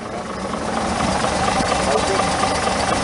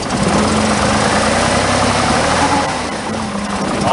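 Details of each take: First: Chevrolet Monza after a new AC oil filter and 3.5 quarts of oil refill; it had clattered after running out of oil. Now a steady, even, quiet idle with no clatter or knocking. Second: Chevrolet Monza at a cold idle. A steady howl sits over an uneven, stumbling beat, running on five cylinders. Owner says it always howls when cold.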